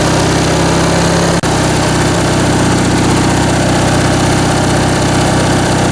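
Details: Briggs & Stratton 19.5 hp opposed twin-cylinder riding-mower (Craftsman) engine idling on bench test after carb rebuild and stripped main jet repair: even, steady putter with consistent firing apart from one brief early dip; running cleanly.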